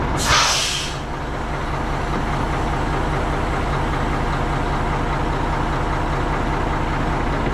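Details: Tri-axle diesel dump truck that wouldn't start due to a dead battery, running after the ground connections were redone; a short air hiss, then a smooth, even idle with a steady rumble and no misses or knocks. Sounds healthy.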